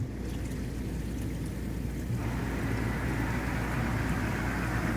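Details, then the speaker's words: Old Jacuzzi hot tub after replacing a failed circulation pump to cure FL1 flow error: steady low hum with water rushing that rises and evens out; pump runs smoothly and the FL1 code is gone. "once you get the pump in just turn the power back on there you go no fl1 error code anymore"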